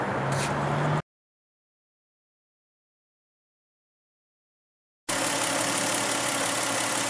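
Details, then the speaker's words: Car converted to run on both CNG and gasoline, recorded in engine compartment while running on natural gas: even, steady idle with no misses, knocks or hunting. Normal idle. "I brought the changeover switch out into the engine compartment so you can hear what it sounds like when it as it goes from CNG to gasoline right now it's running on natural gas"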